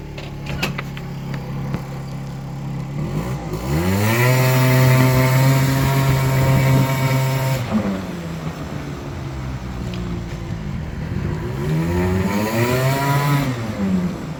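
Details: Aprilia SR50R Piaggio Ditech two-stroke scooter, in snowy weather, after clearing ECU error codes and resetting the throttle position sensor; warning light stays off; idles, revs up smoothly, holds, drops and pulls again cleanly without stumble.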